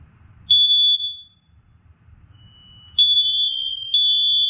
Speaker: Now what I'm gonna do, I'm gonna plug this back in, and listen carefully. You're gonna hear the rest of them in the house sync up because the red wire is hooked up.